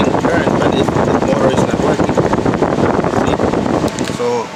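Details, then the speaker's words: 2005 Honda CR-V 2.4 radiator fan: loud steady roar that sags and cuts out near the end. The motor's internal rotor contact is intermittent, so the radiator fan motor will be replaced. "sometimes make good contact in there inside the motor inside the rotor sometimes makes good contact sometimes not"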